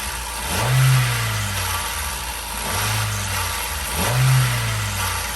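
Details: Hyundai i20 petrol engine before repair, blipped three times: dry metallic rattle over the rumble swelling with revs; stretched timing chain and worn guides, fixed with a replacement chain kit.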